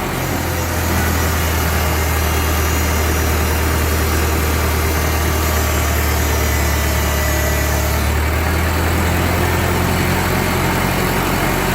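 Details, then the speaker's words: 1945 Ford 2N tractor idling while the loader hydraulics, just topped up with fluid, raise and lower with instant response. Steady low idle with a smooth, unchanging tone, no knocking or grinding; the engine sounds healthy. "I put her up and down a couple more times. Yeah. Instant response. That's good."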